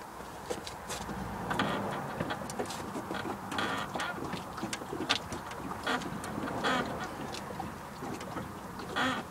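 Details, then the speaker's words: 2001 Jaguar X-Type rear end, bounced after cleaning and greasing the creaking part: loud noise gone but short squeaky creaks remain; owner suspects newly fitted anti-roll bar bushes not yet bedded in; suspension creak. "Truth well the obnoxious screen has gone there still a creek I think that is probably the anti-roll bar bushes cuz they haven't bedded in yet"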